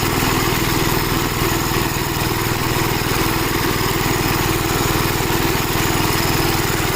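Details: Gravely Model L tractor with governor, already run earlier, after its blown head gasket was replaced; even single-cylinder thump at about four beats a second, steady governed speed, no misses or knocks. Runs well, though an oil leak remains to be found.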